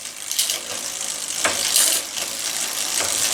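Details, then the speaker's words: Bicycle front derailleur just adjusted, chain on third chainring about 2 mm from the cage: light ticking clicks as the chain steps across the rear cogs one by one, no scraping between shifts. Normal shifting, no chain rub. "Alors là, il n'y a pas de frottement. Et quand c'est fait, ben, on change des pignons un par un et on regarde si ça touche pas."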